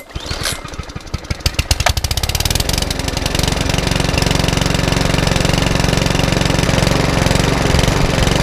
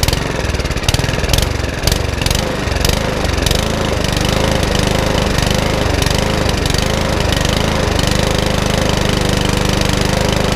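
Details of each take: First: Mountfield HP164 lawnmower: pull-start, a few ragged beats, then it settles into a steady, even putter; the hunting has stopped after a 10-15 minute test run. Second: Mountfield HP164 lawnmower that keeps cutting out: idle surges and sags unevenly every second or so and never settles; hunting, with a carburettor problem suspected, which is then ultrasonically cleaned.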